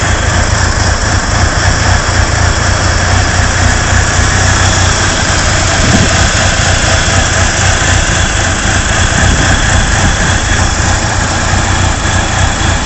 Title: Rough idle 2